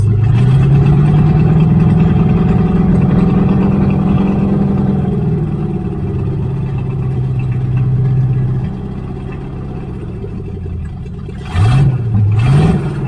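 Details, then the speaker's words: 1978 Chevrolet Nova, V8 (likely 305 two-barrel) abandoned 25 years, partly souped up, open exhaust: uneven, loping idle with a few rev blips rising and falling; lumpy idle, owner wonders if it has an aftermarket cam, unconfirmed. "I'm wondering if this has a cam in it."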